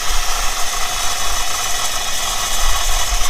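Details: 1997 Chevrolet Camaro V8 saved from crusher, cold start on lift with intake off: lumpy uneven idle with loose rattle; two cylinders dead, failed ignition control module and coil pack; suspected head gasket water in coolant.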